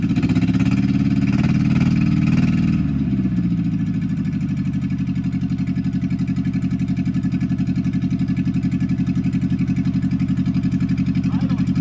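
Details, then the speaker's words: 1964 MG Midget Mk II after 30 years sitting outdoors: brief rev settles into lumpy, uneven idle about four beats a second; rough running from carbs with stuck plungers, one stuck almost all the way up. "she's running pretty rough uh and that's definitely going to be a a a product of the carbs"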